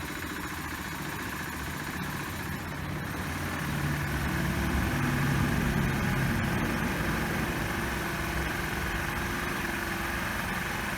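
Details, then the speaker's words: Cold Roketa 150cc GY6-style scooter started without choke or idle enricher, water in the fuel line: steady single-cylinder putter, uneven at first, settling with idle speed rising as it warms. "see you can see it's idling up already and that's basically it i would tune it for conditions like this it's harder to start because i'm not using the choke but as you see you give it a minute you're good to go"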